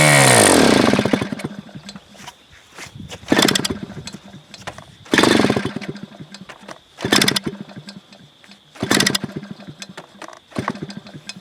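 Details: Super Tigre G4500 RC model engine, first run, being run out of fuel before proper shutdown: small high-pitched engine blips sharply about every two seconds, picks up crisply and drops back cleanly; sounds healthy.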